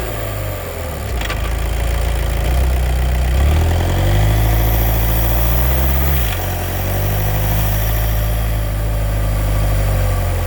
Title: DSG DQ250 clutch noise problem